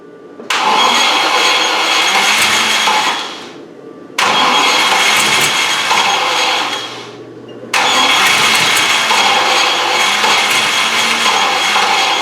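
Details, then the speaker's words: Rover V8 with bad starting: three bursts of steady starter whirring with pauses, and it never catches even though the fuel pump runs and fuel is present; owner suspects the thermostatic choke after the ignition was left on too long. "I can hear the pump running and we've got [Music] fuel why won't it start"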